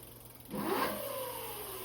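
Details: Tuttio ICT e-bike after swap to a new metal-geared hub motor, wheel lifted, first gear at pedal assist one then five: soft electric whine spins up quickly to an even hum, no grinding or clicking; runs freely.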